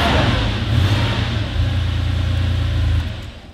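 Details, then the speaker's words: 1989 Porsche 911 Carrera 964, air-cooled flat-six: deep, even throttle blips settling back to a smooth steady idle, no knocks or rattles; normal, healthy engine. "Air-cooled. No water. These cars...they were made the best."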